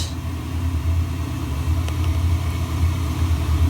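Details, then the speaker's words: Slant-Fin VSPH-120 gas boiler during cold-weather season, igniter lighting and flame starting back up; steady even low roar with no surging, popping or rumble, burner firing cleanly – normal burner operation. "I'm gonna wait until soon takes a little while and here's the flame starting up back back up"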